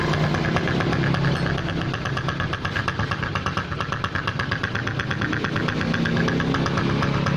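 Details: Honda Supra X125 with a snoring, unsmooth engine sound, caused by the head breather hose cracked right at the clamp. Uneven, lumpy idle with a snoring, hissy pulse over the low thump; rough idle.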